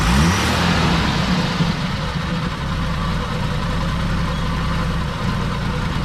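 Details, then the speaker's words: 42-year-old army Jeep, not started since 2009, after reconnecting fuel pump and carb and priming carb with gas: settles into steady even low rumble, no misses or knocks; idling on its own, still needs coolant. "there it is it started officially it is idling by itself i might say it's purring by itself"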